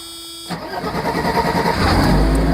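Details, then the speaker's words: 1989 Mercedes 300SE with hard-start problem, after replacing the overload protection relay, cold day in the 30s °F, door open: brief starter whir then catches within a second and settles to steady even run. Normal quick start. "and you know what it started right up that's exactly how it's supposed to be so it was the overload protection circuit uh relay that actually caused caused the issue"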